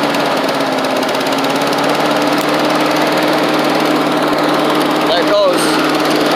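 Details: Old Australian-built Rover Turbothrust mower started on choke, with a working 12-volt generator: loud, steady buzzing drone at constant pitch with no misses or surging; engine runs cleanly.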